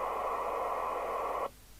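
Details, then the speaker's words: 1988 DNT Transit 40 CB27/81 UK FM CB radio, repaired. Squelch threshold set to the minimum at which it will open. Loud steady hiss cuts off abruptly; the squelch is weak and noisy by design and won't mute the residual background noise. "But much of a residual background noise, and it's not going to squelch it out."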